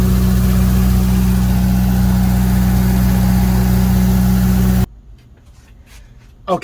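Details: Rough idle on a GM 3.0 L four-cylinder in a 35 kW Briggs & Stratton generator after new O2 sensor and Bosch iridium plugs; steady idle with an uneven pulse underneath, later traced to a faulty computer control panel board.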